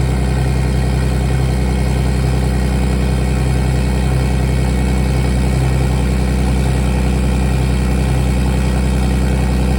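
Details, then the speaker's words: BMW E46 with turbo M52B28 swap, not started in a few days, cold idle: loud deep even pulse about four per second through open exhaust (no downpipe yet), no misses or knocks; healthy. "That is a true cold start on this baby, and it is loud."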